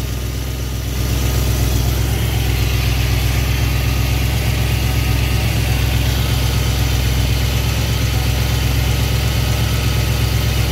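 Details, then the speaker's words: Engine idling during ignition timing adjustment, as timing is advanced from about 1° toward 12° initial: an even, steady idle with a regular low pulse of about four beats a second and no stumble. Runs smooth. "so we're going to add some to it all you hear how the engine smooth"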